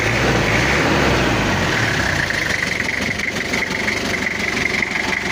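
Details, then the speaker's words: Toyota Kijang diesel after head/coolant-overflow repair (coolant pushing into reservoir), temperature gauge around 68: settles from higher revs into steady, even idle clatter with no knock or tapping; normal, cool-running, tappet clearance set. "untuk suara ini suaranya udah normal dan udah adem klintingnya udah dapat"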